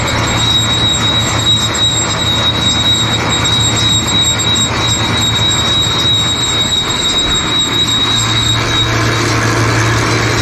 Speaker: like i said but still the squealing noise after i put oil on that one side so i i don't know i think it's just that metal thing getting in there that metal sleeve i found i'm not sure what that's for i really don't